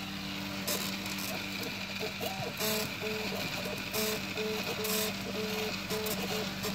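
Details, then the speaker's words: Prusa i3 MK2 3D printer while printing: stepper whir in short bursts with faint scratching, creaking sound on every other downstroke, growing louder and more frequent over weeks; source unknown, bearings, extruder or belts suspected. "so you hear it like it doesn't matter sound any mic sound as it goes that way and on every other one it's making it so every downstroke here it makes that sound and I have no idea what it is"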